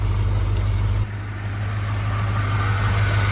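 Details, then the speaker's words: Cheap GM squarebody truck V8: deep even burble dipping then climbing smoothly with throttle, no misses, knocks or shaking; runs healthy. "It's running like a top. It's running amazing. Wow. Smooth."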